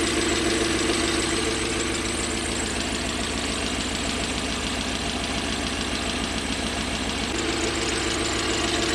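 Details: Toyota 1UZ-FE V8 (Surf/4Runner) running on only 4 cylinders, half the engine: lumpy, rough, uneven idle pulsing about three times a second. Burnt, worn-through oxygen-sensor wiring was found.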